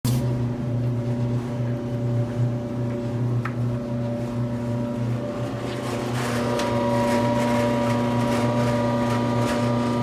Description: Electrolux electric dryer motor making a lot of noise then stops.